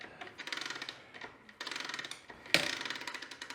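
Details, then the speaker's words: Early-2000s Kawasaki KLX110 being kick-started: bursts of rapid ratcheting clicks that freewheel and only occasionally catch, because the one-way sprag clutch inside the centrifugal clutch isn't engaging. "hear it clicking and then it catches once in a while yep that's the first problem there's a one-way sprag clutch inside this centrifugal clutch in here and that's not catching all the time like it should"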